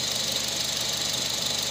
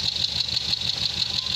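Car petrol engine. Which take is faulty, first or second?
second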